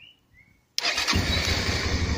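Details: 2009 Suzuki DL650 V-Strom after a starter solenoid replacement, in neutral with the clutch pulled: brief silence, quick crank, then a clean catch into a steady, lumpy twin idle; starts normally.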